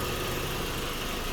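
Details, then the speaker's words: 2004 Audi B6 A4 Quattro 1.8T turbo petrol, 6-speed manual, stock airbox, just fitted with an 034Motorsport diverter valve: steady, even idle hum with no misses, hissing or ticking; no vacuum leak, running normally after install. "All right, so no vacuum leak and the car is running good."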